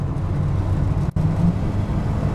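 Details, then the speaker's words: 1992 truck with 52,000 miles cruising on the road with overdrive switched off, rpm rising slightly as for towing or under 55 mph; smooth steady low engine drone with no knocks or whines; healthy. "I'll click the overdrive off here real quick. You can hear the RPMs and see them kick up a little bit. And this is kind of how you want to roll when you're towing or when you're doing under 55 miles an hour."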